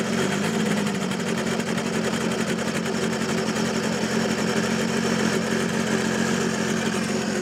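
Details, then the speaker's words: Audi A6 C5 2.5 TDI V6 (AKE), a no-start after two injection pump replacements: loud steady diesel clatter at fast idle with raw roar from the disconnected exhaust; cause found to be a fully clogged catalyst, plus pump injection timing knocked out. "the matter was that the catalyst was completely clogged or the exhaust gas muffler was nowhere from below it was gone."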